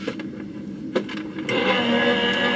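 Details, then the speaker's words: Gemini cutting machine with a shim of two A4 self-healing cutting mats plus acrylic plate: light motor whir and clicks, then the tone thickens and steadies as the rollers bite; it cuts properly, unlike with mats alone. "let's see. Oh, hear the change of noise? It changed. Okay. Let's look. It looks like it did it."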